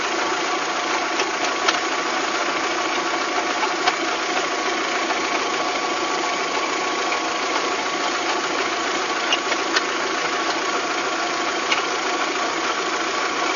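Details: VW Golf 3 engine at even, steady idle with sharp, irregular light ticks. It is an abnormal engine knock whose source is unclear, in a clip tied to fitting cylinder-head parts.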